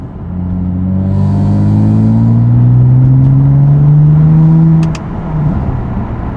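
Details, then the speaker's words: BMW F80 M3 with prototype equal-length mid-pipe, warmed up, downshifted, windows up: deep booming buzz around 2000 rpm filling the cabin, fine above 2300 rpm; exhaust resonance drone persists. "still hear it let me down shift for you guys put the windows up as well yeah unfortunately I still hear the 2K"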